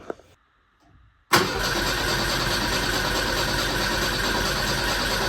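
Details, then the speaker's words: '59 Mercedes chassis-swapped, not run in almost 40 years, fresh 87 fuel added: steady cranking about four seconds without firing; spark present but no fuel pressure at the rail, owner suspects missing grounds. Crank no start. "I don't think I hear the fuel pump kicking on. I might be missing a couple grounds. All right, so I just checked pressure at this Schrader valve on the fuel rail, and there's no fuel pressure there,"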